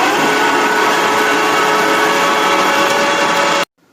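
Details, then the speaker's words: Ten-year-old electric water heater that stopped heating, after replacing the control board relays with bad contacts: a loud steady whirring roar with faint steady tones and no squeal before a clean cutoff; now running normally. "一启动吱一声，那个声音特别大。现在设备运行正常。"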